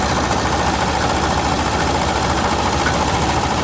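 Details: Compressor on the car just AC-repaired gives an even idle hum with a steady whir and no cycling or rattle; it stays engaged, a bit louder than expected but quieting down, while vent temps drop to the 50s °F. Normal AC compressor operation.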